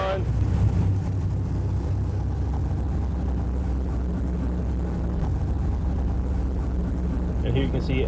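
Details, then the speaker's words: LS V8 idling on a new HP Tuners Core standalone ECU with a stock map, first start, data-logging in VCM Live: steady, deep burble holding an even idle with no misses, knocks or hunting; clean, healthy normal idle. "can see as the engine is idling, you can see VCM Live is data logging all the necessary data. Ah, that sounds good."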